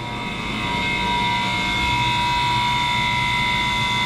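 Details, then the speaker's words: Water-cooled walk-in cooler condensing unit after rewiring with new connectors (breaker had kept tripping): compressor starts and settles into steady even hum, no knocks or rattles; running normally at 21 suction, 160 head pressure. "let's go ahead and turn on the breaker and see what happens i hear the compressor start"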